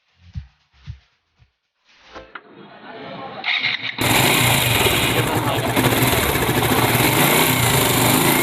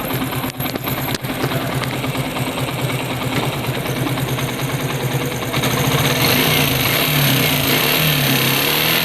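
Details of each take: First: Suzuki Gixxer single-cylinder, from a job on engine noise and timing chain replacement: after a few cranks it catches and runs at a steady, even idle with no knock or rattle, sounding healthy. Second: Suzuki Gixxer single-cylinder engine revving: a fast metallic rattle that rises with the revs, a timing chain rattle calling for timing chain replacement.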